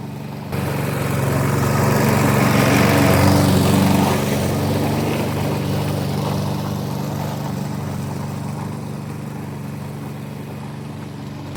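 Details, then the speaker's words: Briggs and Stratton engine on a customer's 1988 Alco push mower (cut and drop, no collector), running after service with new blade; steady even drone under light load, no misses or knocks, runs smoothly. "And there we have it. That actually worked really well. The new blade makes a big difference."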